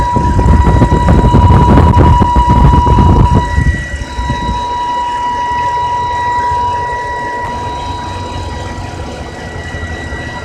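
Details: 2010 BMW E90 325i idling with steady high whine near 1 kHz; intermittent, goes away after restarting engine but returns next day.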